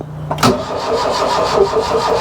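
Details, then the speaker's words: Mk1 Ford Fiesta Ghia 1.1 barn find, boosted with a jump pack: starter clicks in, then steady even chug, engine turns over but never catches. Cranking no-start; they suspect rusted, rotting spark plugs. "it could be the case that the plugs are rusted up which I would probably I would say they are anyway cuz that one looks looks like rotting"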